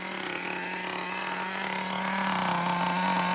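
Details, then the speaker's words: Traxxas T-Maxx Classic 2.5 nitro engine, electric start issue, just fired and warming up: steady high buzzing idle rising slightly as it warms, no sputtering or stalling; transmission shake noted; normal idle. "That's a transmission shake. Don't worry about it. It's good for it. It just got to warm up. It's Now it's a runner."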